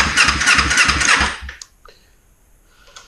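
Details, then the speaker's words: 2005 Kawasaki Ninja 250 after valve repair (stuck valve, rocker off), test start with choke: starter cranks steadily about three turns a second, never fires; owner suspects tank out of fuel. "Oop, choke. It might be out of fuel. We didn't refill it, so might be bingo for fuel."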